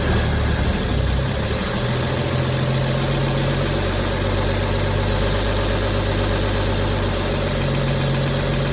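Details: 1953 Chevy shop truck sitting 40 years, old gas tank removed, foot pedal start: even, settled idle with smooth steady beat, no misses or knocks; normal idle.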